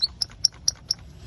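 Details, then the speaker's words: 2004 Land Rover Discovery 2 driveshaft: sharp high chirping squeaks about four a second from rusty, ungreased centering ball (hidden fifth grease point); driveshaft failed. "so what that squeak is is there's the ball see the ball joint there see how it's kind of dull and murky musty looking it's because there's rust on there and it hasn't been greased"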